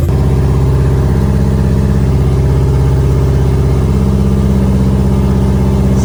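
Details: B5A4 engine first start on newly installed standalone ECU, untuned, after setting reversed firing order to work around suspected mis-pinned harness; catches and runs with steady low rumble, even pulses on every cylinder, clean rev at end.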